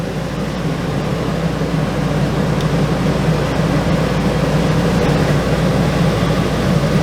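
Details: Travel trailer rooftop RV air conditioner reported not cooling, after 5–10 minutes running: steady low hum with airy fan rush, no knocks or rattles; compressor at 11.6 amps, blowing cold air; normal running.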